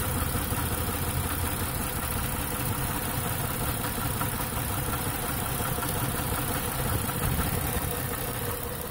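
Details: 2008 Ford Taurus X at idle, rough and uneven with irregular low thumping: cylinder 1 misfires and is dead, with an injector pulse code and no injection because a broken wire stops the computer's signal reaching the injector.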